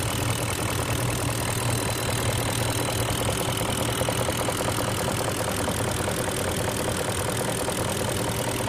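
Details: 2002 BMW X5 E53 4.4i M62TU V8 idling warm: fast uneven ticking knock about two per second over the hum, started after switching to Mobil 1 5W-30, unchanged after returning to Castrol 20W-50; possibly chain/guides, VANOS or vacuum, unidentified.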